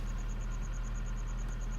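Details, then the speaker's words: Toyota Altezza idling after fuel pump replacement: steady, even idle hum with light, fast, regular ticking on top; new fuel pump working perfectly, engine healthy. "oh yeah it's working perfectly"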